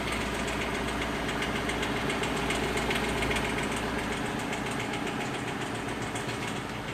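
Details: Lexus LS460 at idle: steady light tick at roughly four per second over an even idle, with no change in pace; the cause is unknown.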